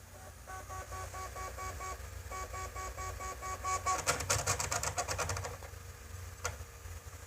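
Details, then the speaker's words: PS4 console, first use in three months: on disc insert, repeated electronic tones then rapid clicks and clunks from the disc drive; disc not read. "when I insert my dis it makes this weird noise and"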